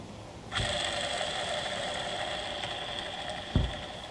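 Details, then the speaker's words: Tigershark TS1000R jet ski crankshaft, main bearing spun by hand: a smooth, quiet, even whir for about three seconds with no grit or rumble. This bearing is good, although several other main bearings are bad. "And this one over here is perfect. That's what a good bearing's supposed to sound like. Super quiet."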